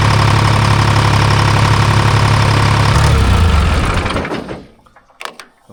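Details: Timberjack skidder, rebuilt Detroit Diesel 3-53, after rack set and injector fingers checked: steady even diesel beat about four firings a second, no knock or miss, then winds down; running healthy.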